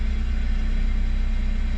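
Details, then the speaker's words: GT Turbo kei van, automatic with turbo timer, just started on the first crank: smooth, even little idle with a quick steady pulse and no misses, knocks or whine; normal idle. "but let's see if it starts up oo right up first crank"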